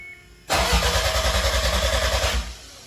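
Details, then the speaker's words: 1993 Toyota MR2 with 3S-GTE Gen5 engine, new build's first start attempt: the starter cranks steadily for about two seconds with no catch or drag, with the fuel pump fuse pulled and the intercooler fan unplugged. Healthy normal cranking. "So here goes, moment of truth. This is crazy. Alright, sounds healthy."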